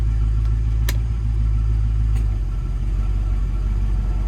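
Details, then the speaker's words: 1974 Jensen Interceptor Mk 3 at idle, newly installed R134A air conditioning switched on at low fan setting: smooth deep idle rumble with a faint click and slight note change as the compressor cuts in; normal engagement. "You'll probably be able to hear the air conditioning compressor come on."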